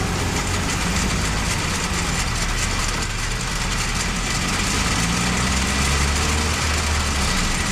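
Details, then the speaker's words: Manual gearbox running with worn or slightly stripped gear teeth: constant low drone with a steady hum that never changes rhythm, unlike the periodic knock of a locally damaged gear. "en dado caso que los dientes estén barridos o tengan un pequeño desgaste todos el sonido que se presentará será un sonido constante un sonido parecido a este"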